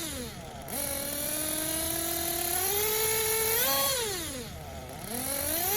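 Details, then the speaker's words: Tekno Blok 21bm nitro RC engine: thin, high, uneven idle and revs during throttle pulls; low-speed needle set too lean (two minutes), running out of fuel at idle, corrected by returning to previous setting. "can hear the idle just doesn't sound quite right is running out of fuel with those consistent throttle poles"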